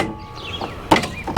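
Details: Toro Timecutter riding mower repowered with a John Deere 24 hp engine, seat switch bypassed: two sharp metallic clacks with the engine off as the electric PTO blade clutch pulls in cleanly; clutch engages normally.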